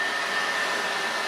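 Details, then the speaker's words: PS4 Pro after teardown, deep clean, SSD upgrade and thermal paste, running Horizon Zero Dawn under load: a steady loud airy rush with a constant high whistle. The cooling fan is extremely loud and suspected to need replacement. "it literally sounds like a jet engine. I had heard that uh said about these things, but I didn't think it'd be this loud. I'm pretty sure the fan needs to be replaced."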